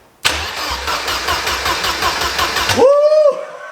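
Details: Mercedes 190E after an engine swap, cranked while chasing a power supply fault in the wiring: starter spins engine in a steady chug of five or six beats a second but it never fires.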